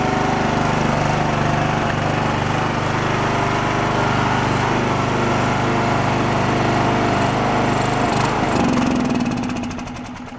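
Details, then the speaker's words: Abandoned Poulan Pro riding mower engine, missing valve keeper: chugs unevenly with popping, sags and dies off choke; no idle circuit, runs only on choke; no bottom-end knock heard. "uh carbs and mess it only run on the choke you can see where we had no idle circuit and it was just trying to die"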